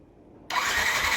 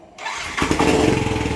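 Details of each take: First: Yamaha NMAX V1 scooter that had not started for a month, odometer 105 km, no check-engine light, battery at 12.2 V: the starter spins evenly with no firing pulses, cranking but not catching; the cause was a clogged fuel injector. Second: Yamaha NMAX V1 scooter, idle after installing a fuel injector that had been clogged, after a month of not starting with no check-engine light: catches first try and settles into a quick, even idle with no misses; fixed.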